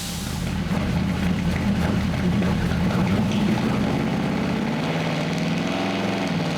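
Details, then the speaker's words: Engine on dyno after adding boost reference regulator and loading a new tune; pulls hard then note stutters and chops at the top, bouncing off a rev limiter mistakenly set low at 5,800 rpm; engine hitting rev limiter. "all right so I mean that's better but it sounds like it's now hitting a a REV liit so I'll go in there and check that out see what's going on"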